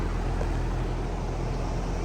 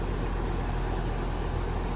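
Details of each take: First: Goodman AC condenser, fan running, before the capacitor is replaced: a steady low hum and buzz that then stops, with no start-up surge; the compressor is energised but not turning over, blamed on a failed run capacitor. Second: Goodman AC unit after capacitor replacement: compressor starts and runs with a steady low hum and even rushing, no clicking or stalling; previously compressor would not start while fan ran.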